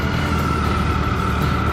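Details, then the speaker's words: Brand-new 2014 Triumph Tiger 800 pulling away from the dealer: smooth, even engine note with a clean steady whine and no knocks or rattles; normal healthy engine whine. "Listen to that whine. Oh man, this thing is smooth and light."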